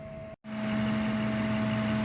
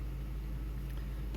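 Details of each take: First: Ford F-150 engine idling with a steady airy hum and faint tone on top, like it's sucking air, with vibration felt; mechanic suspects the idle air control (IAC) valve. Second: Ford F-150 V8 idling smoothly after the IAC valve was swapped (old gasket reused), settling toward about 700 rpm while warming; earlier air-sucking noise gone, normal even rumble with no ticks or knocks.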